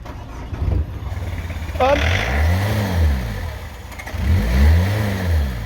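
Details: Old Peugeot diesel being hot-wired past its immobiliser, with a suspect faulty fuel pump and power fed to the pump: catches and runs unevenly, revs surging for a few seconds, then stalls.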